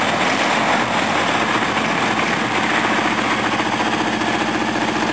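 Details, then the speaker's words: Briggs & Stratton 14 hp OHV V-twin tractor engine, already running fine, test start: smooth, even idle with a steady fast beat, no knocks, misses or rattles; healthy. "Right, this is the Honda 13 horse overhead valve running perfect now. And this was running perfect anyway, but I do a start anyway."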